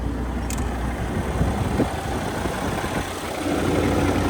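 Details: X15 engine, brought back alive after a struggle to start; a possible leak was remarked on: steady, even low diesel rumble at idle with no knocks or misses. Settled and running normally; normal idle.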